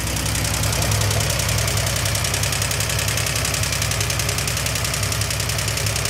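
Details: 1971 Triumph TR6 stored since 2006, first start: steady idle with a quick light tapping about three or four times a second and a little smoke; cause suspected, not confirmed.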